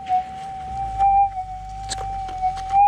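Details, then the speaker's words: GPX 5000 metal detector with gain turned up to 17, ground balancing poorly: the target is louder, but a steady drone carries repeated crackles and warbles. Excessive gain makes the threshold noisy. "quite noisy as we detect and you can hear that target it has gotten a lot louder but there's a lot of other noise going on here"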